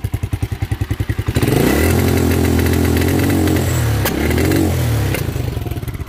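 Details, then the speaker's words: Carbureted motorcycle that bogs at around 6000–7000 rpm and sometimes stalls, as if the choke were on (the choke is in position): slow lumpy idle, then on throttle it drones without climbing and sags back. Cause unknown. "comienza a ahogar y no revoluciona la moto no camina"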